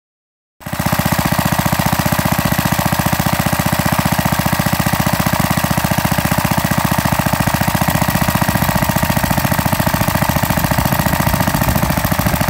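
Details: Pre-WWII Briggs & Stratton model WM single-cylinder after rebuild, 0.010" oversize bore, NOS piston and rings, breaking in after nearly an hour running: crisp, steady popping about four beats a second, no knock; normal running.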